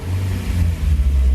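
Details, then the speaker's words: Freshly rebuilt JDM B18C in a 2000 Honda Civic Si (EM1) just after first start, on conventional oil for break-in of the rings, revved lightly with rpm kept low; a smooth, even rumble with no knocks or rattles and good vacuum already. "Oh, it sounds nice in here. Just doing like an initial braking, keeping the RPMs down. It's got conventional oil in right now."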